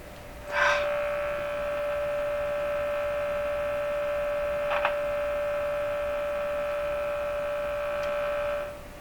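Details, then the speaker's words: Stromberg Carlson Model 515 radio during signal tracing, before any repairs: steady, clean mid-pitched hum with a buzzy edge from the speaker, strongest when the speaker is lifted; source not yet found. "connected and I lift the speaker up I can hear a hum very interesting it's really pronounced when I get the speaker"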